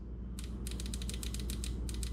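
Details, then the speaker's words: Used 700hp-rated fuel injectors for a stock 4.3L V6, bench-tested by pulsing power: crisp, regular clicks from each injector, none silent or sticking; all open cleanly and work normally. "so none of them have been stuck yet so that's good they all have clicked"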